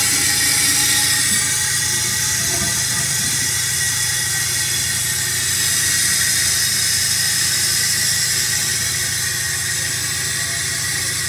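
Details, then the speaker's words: Toilet fill valve making a loud, steady high hiss with a shrill whistle through the whole refill, loud enough to hurt the ears; a noisy fill valve. "The loudness on this thing is real. Kind of hurt my ears, actually. Surprisingly."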